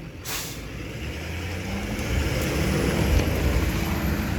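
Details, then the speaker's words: 1958 Mack B-21 fire truck, 1091ci Hall-Scott, after 30 years sitting, driven out of a hole: low rumble climbing, then sharp hiss and lurch as the air brakes bite; brakes work, stop dead. "oh yeah oh all right Rick brakes work brakes work stop them dead in his tracks"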